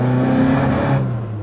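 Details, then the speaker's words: Ford Escort Mk2 with swapped ST170 engine, first drive untuned: full-throttle note climbs then flattens and dies after dropping a gear, sluggish when floored; hesitation under acceleration, badly out of tune. "It still feels really sluggish when I go to floor it. But yeah, it still needs tuning. I'll show you what I mean. I'll drop a gear. It literally falls on its face."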